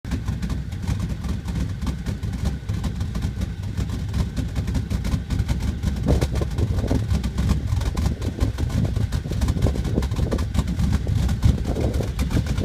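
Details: Dodge Ram 1500 at idle: a low, uneven, lumpy, stumbling beat instead of a smooth hum. Rough idle, cause not identified.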